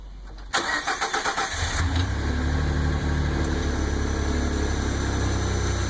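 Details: Ford EcoBoost petrol engine cold start: cranks briefly, catches, and settles into a fast idle with a faint droning hum. An unidentified noise lasts the first 20 seconds and stops when something clicks under the hood; the owner says it is not the tensioner.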